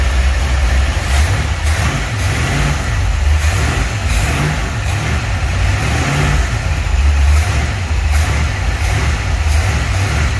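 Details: 1949 Chevy 3100 truck with newly installed motor, first run in garage: deep burble, smooth even idle swelling cleanly on each throttle blip, no tapping or misses; sounds good.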